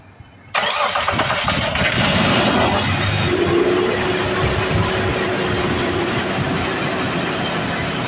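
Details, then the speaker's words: Jeep Liberty KJ just after spark plug replacement, started with a brief crank then a fast raised idle just over 1300 rpm, not from being cold; a vacuum hose apparently pulled loose during the plug job was leaking vacuum, causing the high idle. "so it is running nice nice and smooth though really smooth but then again it is at like 11 12 1300 RPMs it's going to f that way yeah just over 1300 RPMs"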